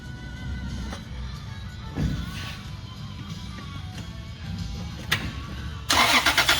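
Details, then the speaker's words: 2000 Toyota Prado 3.4L with major misfire, coils unplugged for a relative compression test: steady, even cranking rhythm, all cylinders balanced, so no compression issue; normal cranking. "see what we get and look at that all good so we know we don't have a compression issue"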